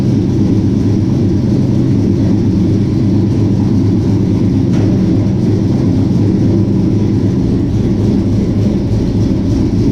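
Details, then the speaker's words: 1967 Chevy C10 V8 with Holley Sniper fuel injection, idling after sitting about 23 to 25 hours; deep even steady rumble with no knocks, misses or ticks, normal idle. "Everything's the way it should be, the way we want it to be. All that AC works good. Motor runs good. Everything is good."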